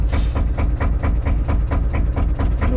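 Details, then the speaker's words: 1972 Nordan 21 fishing boat with 11hp Sabb single-cylinder marine diesel: slow, even thump at about five beats a second with no misses or knocks; the engine runs nicely, normal idle. "du kan høre, den går i pæn. Den går pænt, ja. Det er sgu meget fint."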